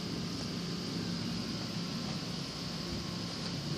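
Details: Weed Eater 22-inch front-wheel-drive mower, Briggs & Stratton engine, rescued from trash, restarted: small single-cylinder engine running steady and even with no misses or knocks; sounds healthy.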